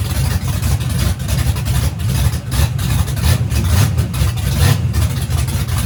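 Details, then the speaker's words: Turbo race engine at its third or fourth first fire-up after a teardown this year, headers fitted but turbo hot side not yet installed. Heavy, lumpy low rumble keeps running steadily after firing, a freshly started engine sounding healthy. "So it seems to crank up, fire in the hole. We're good to go."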